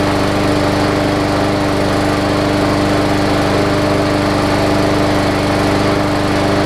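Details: Hyper Tough Briggs and Stratton OHV push mower with plastic carb, running on old fuel that had water in it after sitting over winter; after burning through the water it runs a steady, even drone with constant pitch and no stumbles or surging.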